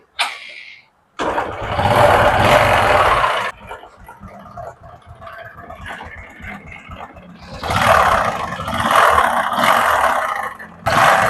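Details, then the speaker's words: Honda Karisma motorcycle engine that once ran out of oil starts, then a harsh heavy clatter from between block and crankcase rises with revs; suspected piston or connecting rod damage: connecting rod big-end knock, before teardown. "Ini untuk suaranya itu, dia di bagian mesin tengah ya, di bagian blok, antara blok sama crankcase."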